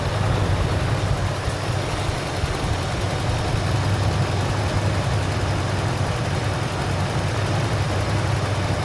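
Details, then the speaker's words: 1988 Toyota Land Cruiser idling at about 650 rpm; low, steady idle with an even exhaust note and no knocks or misses; normal idle. "this is that typical land cruiser sound that you would expect just idling really really nice"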